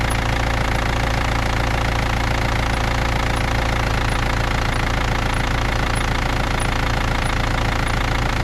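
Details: BMW E39 with M47 diesel engine, cold: diesel idle clatter with a faint, thin chirp repeating about twice a second. The squeak occurs with the engine cold, and its source is unknown.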